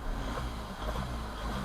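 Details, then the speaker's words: Learner car stopped, heard through the open window: low, steady rumble with no knocks, misses or surging, a "happy engine" just sitting chilled: normal idle. "right that's a happy engine that's a happy engine sound yeah it's just he's just he's just sat there chilling yeah he's is meditating just chilled waiting for you to ask it to do something"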